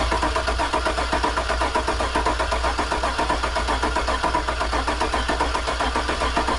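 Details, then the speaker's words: Work truck cranking on starter: steady cranking at about four compression pulses a second, never catching; cranks but won't start. It fired on starter fluid, so spark is present; noid light then showed no injector pulse. "she kicked off starter fluid so I believe we have spark but maybe we're not getting fuel"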